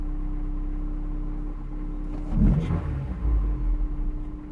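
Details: Honda S2000, 5 minutes after cold start, suspected rod knock: steady idle hum, a quick throttle blip, then revs sag and waver below the earlier idle; owner attributes the dip to a dodgy idle air control valve.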